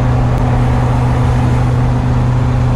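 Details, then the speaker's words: 1990 Fleetwood Bounder Class A motorhome, big-block Chevrolet, warmed up: a heavy, steady low exhaust drone and loud rumble under load with no clean note, from an exhaust leak. The exhaust manifold donut gaskets look completely blown out. "it's one thing to have a bit of an exhaust leak but I think the photo gaskets at this point are completely blown out"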